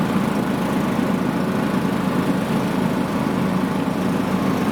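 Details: John Deere riding mower after deck rebuild with new deck belt and idler pulleys, test start: even low engine drone holding steady speed with no knocks or clatter; running normally.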